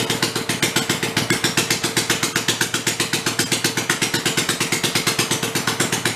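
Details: Rebuilt Kohler Command 20 hp engine, revived after a thrown rod and flood damage, 150 psi compression, refueled and run on the bench: crisp, evenly spaced firing pulses at a steady rhythm, smooth; normal running.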